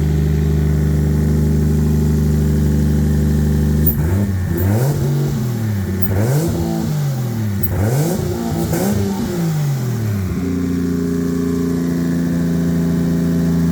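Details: Normal idle and revving: an 800hp 2JZ turbo Lexus IS300, wrecked in a front-end collision and sitting unused, started on a replacement battery with no coolant and was run only briefly. Steady, smooth six-cylinder idle, a few quick clean revs, back to an even idle; sounds healthy.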